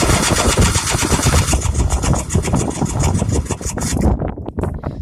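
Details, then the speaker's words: Sports 90 four-wheeler (90 motor, 50 frame) at about 25 degrees: fast, steady rattling chatter that never catches, then cuts out. Owner first suspected a dead battery or the cold, then concluded the battery was dead. Cranks, no start. "Uh-oh, guys, that ain't a good sign. That is not a good sign, guys, at all. Either our battery's dead, something went wrong with it, or she's just too cold out for it."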